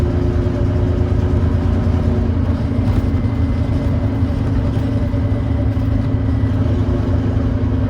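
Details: First Glasgow Volvo B9TL Wright Eclipse Gemini bus, Volvo D9B 9.3L Euro 4 diesel, ZF Ecolife 6-speed, climbing a hill under heavy load: steady low drone with rough chuffing thrash from an exhaust leak.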